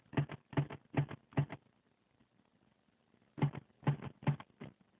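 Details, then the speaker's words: BMW 335i that won't start, dash lights flashing on and off: bursts of soft clicks two or three a second, pausing and resuming with engine off; owner suspects fuel pump cycling or dying battery, not confirmed. "I have no idea what's going on this is pretty crazy sounds like the fuel pump keeps turning on and"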